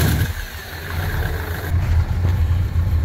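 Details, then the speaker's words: 1964 Plymouth Fury with swapped Magnum roller-cam 360 and new Borgeson power steering box, first crank, no fluid drawn down; steady low idle with no whine or groan, the pump is quiet and healthy. "Yep, it's power steering. No noise at all from the pump."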